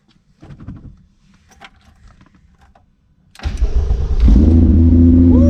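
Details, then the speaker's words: Cold start of the car Miley after it went off track at the Nurburgring at about 115 mph: a quick crank catches into a strong, even fast idle that settles cleanly. It is alive and runs perfectly, a normal healthy cold start. "yeah she's alive and well so as you can see and as you can uh here the car still runs perfectly"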